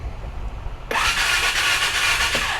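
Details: Ranger 570 with a new OEM starter fitted: a fast, even, high-pitched whir starts abruptly and holds steady as the starter spins the engine freely. The starter sounds healthy.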